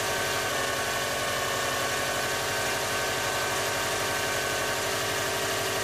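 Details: Engine idling at a morning cold start with a continuous hissy scraping rub over an even low beat. The rub seems to come from the rear of the engine, not the front fan belt area; cause unknown.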